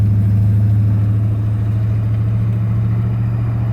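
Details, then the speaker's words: 1999 Chevy Tahoe Limited V8, about 198,000 miles, first drive in 10 years after replacing two injector poppets (cylinders 2 and 6) and a rear end; deep smooth drone under load, no knocks or ticks, easing as it shifts into third; healthy. "so anyway guys yeah you can hear the motor sounds good in this thing"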